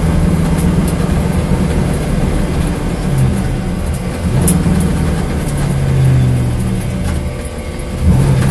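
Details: Corvette engine at a deep, lumpy idle with an uneven beat and occasional stumbles in the low rumble, suggesting a misfiring cylinder; cause not confirmed. Engine misfire.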